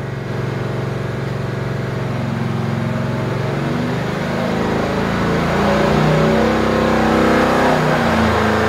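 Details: 383 LT1 V8, 11.0:1 compression, LE 1.2 cam, LE 2 heads, on the dyno, fifth full pull making 502 hp: strong, even pull with pitch climbing smoothly, no misses, knocks or rattles; earlier pull had water brake slipping.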